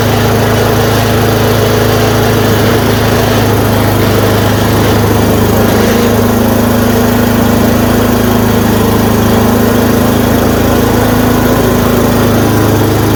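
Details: Yard Machine 826 snowblower, 8 hp 26 in, after new dual belt, idle screw adjusted: steady regular small-engine thrum, revs up, no surging or misfires; runs cleanly.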